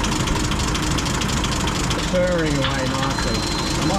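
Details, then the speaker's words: M8 Greyhound six-cylinder engine after distributor and ignition overhaul, mixture leaned off and idle speed dropped; steady, even low rumble with no misses, smooth normal idle. "turn it out until it starts to struggle start leaning it off the engine reps are picking up and it's just basically trying to find the fuel mixture of which the engine is idling the"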